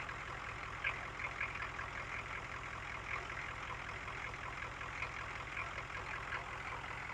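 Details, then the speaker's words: 1972 GMC Jimmy with Detroit Diesel engine, just after starting: quiet, steady diesel clatter at idle with an even, unbroken beat and no misses; healthy, starts easily even after sitting for months. "awesome guys even if this thing sits for a couple months he just starts right off every time talk about reliability"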